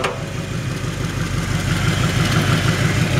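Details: 1963½ Ford Galaxie 500 XL, rebuilt 289 V8 with headers and cherry bomb mufflers, idling: quick regular puffing tick about three per second from an exhaust leak at the donut gasket.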